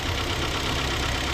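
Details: 2011 Hyundai Tucson idling after an alternator replacement. The old alternator was noisy from a failed front bearing near the pulley. Now a smooth, even idle with no whine or rumble, and the noise is gone.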